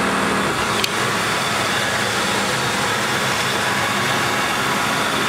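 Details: 1995 Lincoln Town Car after fan belt tensioner replacement; steady, even idle with smooth hum, no squeal or chirp from the belts: normal idle.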